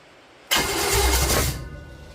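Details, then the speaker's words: Chevy 350 small-block V8, coil just hooked up, vacuum leak noted: about a second of hard cranking with a few uneven catches, barks at first then dies without starting; crank, no start. "she really barked off right at first like she does every time and then nothing come on"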